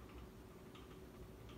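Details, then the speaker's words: Dynasty Hugger 52-inch ceiling fan from January 1988, bearings not yet broken in, slight wobble, on high speed: faint irregular ticks over a soft hum; owner suspects the housing rattling though all screws are tight. "It's probably the housing that's rattling a little bit. Which is actually a bit strange because all the screws on this fan are 100% tightened up. I made sure of it. But still it makes that rattling sound."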